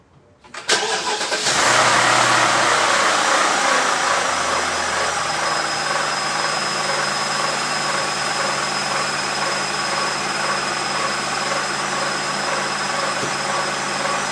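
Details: BMW E65/E66 with N62 V8: on cold start it catches and idles with a steady high-pitched whine and light rattle, first mistaken for timing chain rubbing guides or alternator; quiets as engine warms. Cause was a worn water pump bearing.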